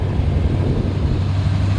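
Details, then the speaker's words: 1964 Chevrolet C10 V8 with three-speed automatic, still warming up, driving: deep, steady low rumble from the exhaust while cruising, even and unbroken with road noise behind; iconic old Chevy V8 note, normal exhaust. "great sounding exhaust it's like that iconic chevrolet v8 old truck"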